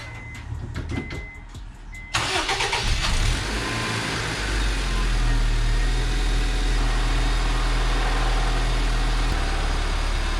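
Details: 2004 Honda Civic EM2 just after the coolant was topped off. Starter cranks briefly, then the engine settles into a smooth, even idle with no misses. A noted noise is attributed to a worn clutch throw-out bearing.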